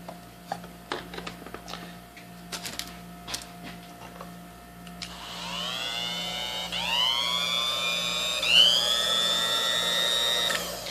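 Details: Vintage, barely used yellow Sunbeam Mixmaster Junior hand mixer, plugged in for a test before its cleaned gearbox is put back together: a few clicks and taps, then a clean rising motor whine that holds steady, no grinding or rattle; healthy.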